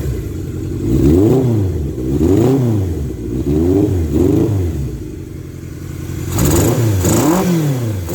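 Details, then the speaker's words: 1978 Kawasaki KZ650 motorcycle, sat about 20 years, carb jetting nearly dialed in, cold windy day: crisp throttle blips rise and fall cleanly, no hunting, smooth idle with wind noise; normal healthy running with great throttle response. "This just got great throttle response, and it idles smooth as silk."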